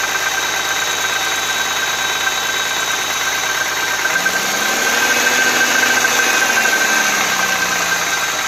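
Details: Audi A6 C4 2.6 (ABC engine) at cold idle: light fairly quick tapping knock about three a second over the engine hum, unchanged after an oil change; cause unknown.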